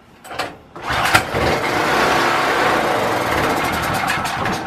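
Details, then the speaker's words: Predator 4000 generator, pull-started with choke and fuel on, vacuum-fed fuel system with the tank return line already checked clear: it catches after a couple of pulls, runs a few seconds, then sags and dies, starved of fuel. Found cause: wrong carburetor gasket. "right so we've got it sit still we'll turn over but for some reason it's not getting fuel to stay running"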